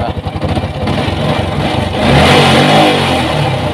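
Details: Yamaha Vixion Advance after an emergency repair for a rough engine noise caused by a wobbly crankshaft, with the radiator refitted. Picks up cleanly from a fast, even beat into a smooth, steady rev with no knock or rattle: normal running.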